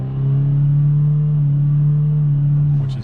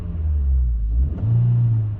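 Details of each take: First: 2022-2024 Honda Civic Sport hatchback 2.0 manual, revved in neutral: revs held flat at a steady drone on the factory 2-step limiter at about 4,300 rpm, then released; normal factory behaviour. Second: 2022-2024 Honda Civic Sport hatchback 2.0 manual, free revs in neutral: after each blip revs hang high before dropping to idle; not present when shifting while driving.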